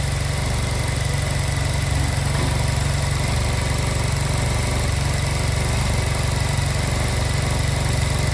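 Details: Honda Silver Wing scooter that would not start, after new spark plugs: steady, even low thump of roughly three beats a second, no misses or rattles; healthy normal idle.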